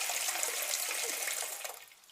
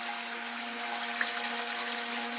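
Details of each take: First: Old toilet cistern after repair of very loud flushing noise: soft, even hiss of water refilling, now quiet with no whistle, hum or hammering; normal refill. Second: Old toilet cistern refilling after a flush: a loud, steady foghorn-like drone under rushing water, traveling through the pipes and audible from the street at night.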